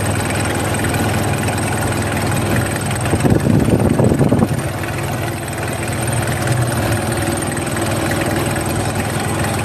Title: rough idle #engineservice #engineproblem #workinprogress #mechaniclife